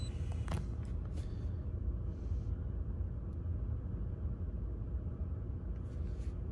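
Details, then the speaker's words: 2019 Chevrolet Equinox 1.5 four-cylinder after misfire repair: low steady idle rumble, even beat, no stumbles or stuttering; idling cleanly. "and as you can see we're good to go engines running smooth no more stuttering or anything like that"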